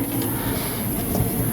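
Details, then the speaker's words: Vehicle jacked up with wheel raised and spun during a rear differential gear-ratio swap: steady, rough, gritty grinding rumble; the wheel bearing sounds broken, and the wheel also appears bent. "แล้วเนี่ยเสียงเหมือนลูกปืนแตกเลยเนี่ย"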